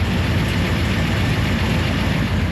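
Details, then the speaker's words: Truck after engine reinstall with new Comp lifters: steady deep idle with an even low rumble and no lifter ticking from the top end, though belt squeal is noted; quiet, healthy idle. "But damn, this thing has never been this quiet under the hood. Like way to go comp on improving your lifters."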